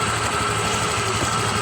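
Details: Honda Click 125 version 3 scooter, 26,900 km, engine noise complaint: light rapid ticking over steady idle, louder earlier; mechanic diagnoses worn cam chain tensioner, to be replaced with lifter and tensioner parts.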